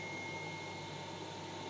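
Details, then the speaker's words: 12-220 V pure-sine inverter, rated 1600 W (800 W), running off a 60 Ah battery and powering a gas boiler and pumps, about 200 W total, output 224 V: a constant high-pitched whine over steady hiss and buzz. The inverter hums loudly under load. "все працює цей інвертор дуже гудить дуже Прям такий шумний шумний"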